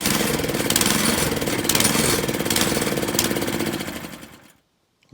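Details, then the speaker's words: Honda tiller engine surging at idle and when not under load; owner suspects a plugged carburetor idle jet. Small engine chugs with uneven, rising and falling bursts. "this tiller has a surging problem at idle or when it's not working and i suspect it's a jet that's plugged"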